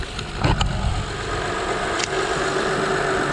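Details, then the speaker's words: Honda power steering pump after new O-rings, with the reservoir filled full, engine idling. Steady idle with a faint even hum, no whine or foaming from the pump: power steering sounds normal, much better than before the repair. "yeah that's a lot better than it was last time but i did fill up that reservoir all the way this time doesn't sound like it's foaming up because you would hear it whining"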